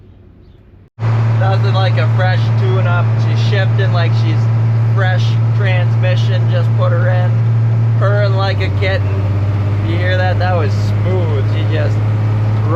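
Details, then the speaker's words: Farm diesel machine after a tune-up and adding transmission fluid through the dipstick hole: a steady deep drone pulling evenly, with one clean pitch drop at the gear change and no bang or flare. Smooth shifting. "into the neck just rolling right through them it's like a brand new machine"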